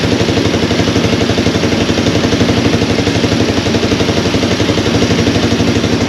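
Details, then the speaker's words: Honda TRX200 ATV, about 40 years old, revived after being parked low on oil, running without a battery: even single-cylinder idle thumping about four times a second with a light metallic clatter on top; slight valve rattle from the top end. "it's actually running you know there's a little bit of valve rattle in the in the top but not a lot"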